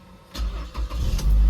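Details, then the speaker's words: Automatic car, probably a 2010 model, with 1,082 km: starter only clicks, then after repeated key turns it bites and the engine catches to idle; intermittent starter engagement, likely carbon buildup needing starter motor cleaning. "Tinuruan ko lang nung technique na sunodsunod rin lang yung pagsusi pag umandar naman non yung sunod na start non pag pinatay andar siya ulit parang nakakatulog lang starter"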